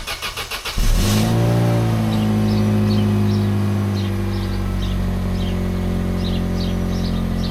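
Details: Corsa B with rusty holed exhaust pipe between cat and back box: loud raspy blatting exhaust note swelling as engine revs, then droning; exhaust leak.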